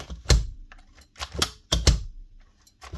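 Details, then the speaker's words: Paslode IM350+ nail gun with gas removed: short sharp clicks on each trigger pull, the spark discharging in the cylinder head. Spark unit is good; the motor has failed. "You hear that little click inside? That's the actual spark being discharged inside the cylinder head. So, the spark unit here is good."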